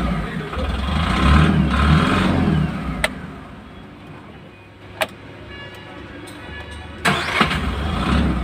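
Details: Tata Ace Gold BS6 diesel with a starting problem traced to a weak earth (ground) connection; it clatters steadily, drops back, then cranks and catches cleanly with a firm start and even idle.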